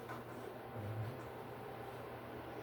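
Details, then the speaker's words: Range hood fan after replacing broken two-speed switch with lever connectors, now single speed, bulbs blown: low steady hum with even airy rush, constant speed, no rattle or scrape; fan running normally. "I do hear the fan. Yeah. Well, I guess you got two bad bulbs, so that's the brakes, but the fan is working."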